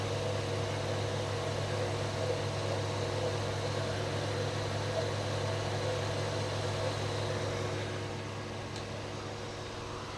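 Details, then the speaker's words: 1974 Dodge Dart Swinger, just over 45,000 miles, just started after hard cranking (owner suspects sticking starter Bendix): low steady hum holding even at idle, no misses or knocks. Normal idle. "got a feeling my starter bendex is sticking or we the tooth out of the flywheel which I don't care cuz I don't intend to use this motor transmission anyway but there she's running finally"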